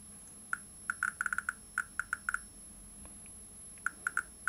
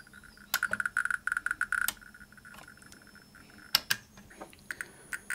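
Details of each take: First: 1959 Sputnik-1 radiometer after replacing resistor No. 30 (510 kΩ) and 5600 pF and 0.02 µF capacitors. Sharp, clear clicks arrive at random, about three or four a second in clusters: normal counter clicks. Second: 1959 Sputnik-1 Soviet radiometer on its ×10 subrange: bursts of faint ticks, as quiet as the ×100 range, with similar readings, when they should be noticeably louder; faulty subrange from wrong RC-circuit resistor and capacitor values.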